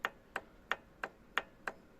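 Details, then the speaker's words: Yamaha Road Star XV1600 valvetrain: sharp metallic clacks about three a second from a rocker arm with side play, pushrod forcing it diagonally against its boss, often mistaken for hydraulic lifters; fixed with fitted thin steel shims. "она думает что это гидрокомпенсаторы нет толкатель с распредвала толкает вверх и она пьет вот так вот по диагонали вот в эту щеку Вот она вот он люфт"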